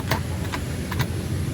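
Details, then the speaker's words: Suzuki Burgman Street scooter riding over potholes, heard from handlebar position: sharp isolated single clicks from the left side at each bump over low rumble; loose kick-start bolt, fix by tightening and adding a nut underneath, can damage drive face. "Tapos ganito yung tunog niya mga boss kapag nadaan kayo sa lubak."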